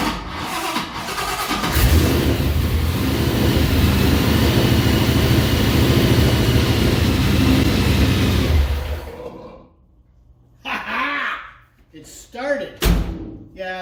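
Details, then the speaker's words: 1955 Chevy project car engine on its first start with new EFI tune (crank-to-run threshold lowered from 300 to 150 RPM, in neutral); it catches but hiccups and stumbles unevenly before dying; cause not yet known. "Although I'm not digging the hiccuping, but you know, it is what it is. So we'll have to figure out what that is."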